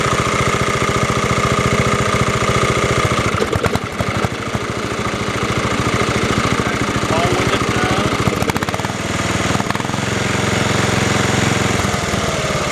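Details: Refurbished Snapper 30083 rear-engine rider mower, run about 15–20 hours this summer, starting without booster cables: small single-cylinder engine putters at steady even beat, no misses or knocks; runs cleanly.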